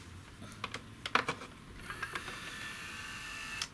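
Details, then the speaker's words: Sony CDP-M26 CD player, power reapplied with laser module wound out: a few light clicks, then thin steady motor whine for about two seconds that stops cleanly; sled motor returns laser home normally. "now when we put the power back on the laser module should return to its home point this motor will drive this Cog which will then know that the sled motor works"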